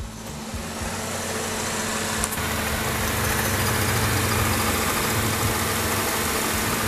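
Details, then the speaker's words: Ford Escape 2.3 Duratec after used cylinder head install, hot idle after drive with AC on: light, fairly regular metallic rattle, suspected external accessory drive, not internal; unconfirmed, electric fan noisy. Metallic rattle at idle. "Hear that little metallic rattle? That really does sound like a drive, like an accessory. It doesn't sound like anything internal."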